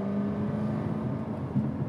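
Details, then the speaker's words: 2017 Jaguar F-Type SVR supercharged V8 with full titanium exhaust, right after a 0-60 launch in sport/dynamic mode: deep smooth rumble with a steady low growl, no rattles or misfires; healthy exhaust note. "is that noise. It is the most intoxicating sound you could ever have in a car. That exhaust note is so incredibly good."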